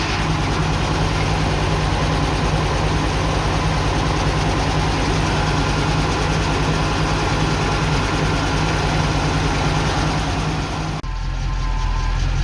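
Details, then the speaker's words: Ex-NZ Army V8 Land Rover (NZ 341) warmed up after Mallory ignition swap: timing found way too advanced, possibly from new optical unit position; fast, steady, smooth idle well above normal. Fix: distributor reset to 6 degrees advance, idle returned to normal. "Interestingly, and I guess it could be to do with the slightly different position of the optical unit in the distributor, it was way advanced, it was way too advanced."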